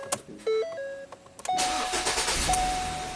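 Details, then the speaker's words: 2017 Ford Transit Connect that ran on 3 of 4 cylinders after a jump start: after reseating crooked number 3 ignition coil onto its spark plug, dash chimes, brief crank, then an even steady run with no stumble; misfire fixed. "Yay. That was the quickest Misfire repair ever."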